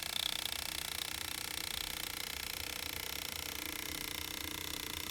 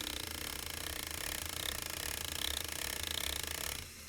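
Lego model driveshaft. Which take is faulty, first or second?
second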